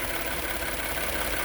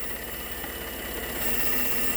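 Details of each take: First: Ford F150 EcoBoost idling after PCV valve and spark plug replacement and gapping, motor completely still: steady, even, smooth idle hum, no stumble or knock; previously slightly rough; normal idle. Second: Ford F150 EcoBoost, rough-running engine at idle: steady thrum under a constant high airy hiss from a vacuum leak at a vacuum canister (not the brake booster) cracked in a wreck, in an awkward spot.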